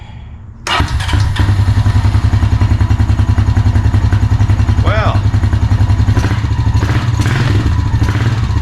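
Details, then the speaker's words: Honda Rancher TRX350FM3 (about 2003–2004), 350cc air-cooled, after a carburetor rebuild for hard starting, stalling and overflow fuel dumping, started in neutral on choke. It catches at once into a steady, even low thump with no misses. Normal idle after repair. "it does start without the electric hybrid system. Man, I love when a plan comes together."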